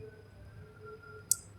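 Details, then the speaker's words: Repaired automatic photocell lamp switch exposed to bright light: single crisp relay click as it switches the lamp off cleanly; photocell working normally. "Iya, sudah mati bunyi relay, Teman-teman."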